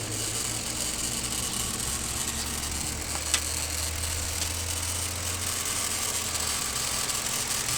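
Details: Car being driven: a faint, steady whine above the quiet idle hum. The power steering pump whines because the fluid is low from a leak, later traced to a leaking power steering pressure switch.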